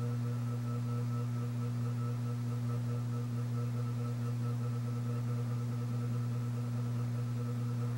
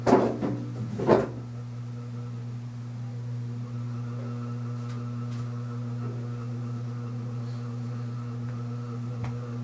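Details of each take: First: c.1980 Homestead Whisperfan II ceiling fan at speed: low steady hum with faint ringing; glass shade rattling because the switch housing is a bit loose; bearings good. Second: c.1980 Homestead Whisperfan II ceiling fan, bearings good. After handling thumps, a steady low motor hum with a fixed tone as speed is turned up. The loose switch housing makes the glass rattle; otherwise a normal hum from a loud model.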